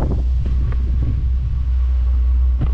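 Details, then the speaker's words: Newly fitted diesel heater in a Peugeot Partner micro camper, warming up, heard from underneath the van: deep steady exhaust rumble with soft pulsing throb, loud but even, no misfire or knocking; running normally. "actually should we go underneath it sounds a bit loud"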